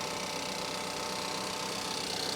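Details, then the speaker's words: 2014 Chevy Malibu with Ecotec engine, 94,869 miles, hood open at auction, StabiliTrak service message shown: steady, even idle with constant light whir and ticking, no hunting, dips or misses; healthy idle. "Look at that. And she's as steady as a rock."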